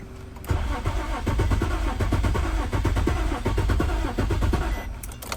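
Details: 2003 Infiniti G35 coupe that won't start, key/immobilizer suspected before KM100 key programming: starter cranks steadily for about five seconds with even compression beats but never fires; crank, no start.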